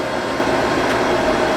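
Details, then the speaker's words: Harris HT 3.5 FM broadcast transmitter on air, small cooling fan on the back: steady rough roar with faint grinding edge and thin whine, failing fan to be replaced. "I'm not sure how much you can hear that little roaring grinding sound but that's this little fan on the back of it and that is what we're going to replace"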